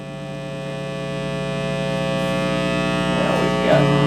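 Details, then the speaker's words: Vintage Ampeg V4 (VT-22) tube amp, caps and power cord already replaced: loud steady low hum with buzzy edge swelling as amp powers up, reverb not working. "we need to figure out why it's humming like it's humming bad"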